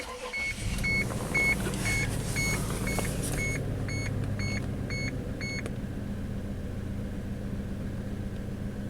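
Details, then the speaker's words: Honda/Isuzu/GM Rodeo truck starts and idles roughly, missing on one cylinder, with a warning chime beeping; scope shows battery voltage and connectors good, but the module isn't switching the coil on when the computer commands it. "it's misfiring right now well let's get another channel on here on another control wire to see what I've known good where it looks like"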